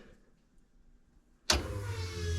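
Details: LS engine in mega mud truck with stock harness and nylon fuel tubing: after silence an abrupt steady electric whir at even pitch, the fuel pump priming normally before start.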